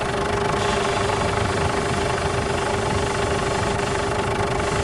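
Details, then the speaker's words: Ford Everest idling with the steering wheel being turned: steady whining groan from the power steering pump, as if starved of fluid; steering very stiff, fluid black, to be replaced again. "Meron siyang umiingay na parang hindi siya nasusuplay ng langis."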